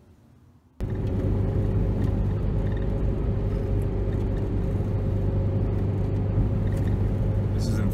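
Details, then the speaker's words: 2004 Chevy Cavalier 2.2L Ecotec, driving: heavy uneven drone, bogs down on acceleration, RPM plummets near stalling; codes P0300 random misfire and P0171 lean, catalytic converter glows red after 25–30 minutes, runs like two or three cylinders. "I can't accelerate just like it's bogging down so the RPMs just plummet almost installing when it comes back up and cars runni"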